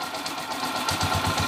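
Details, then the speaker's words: Honda TMX155 motorcycle engine after repair of noisy clatter; now settles into a steady, even idle with no stumbles or hiccuping, running quietly. "Ayan na yung andar niya ngayon mga may Menor na at hindi na rin sinisinok sininok"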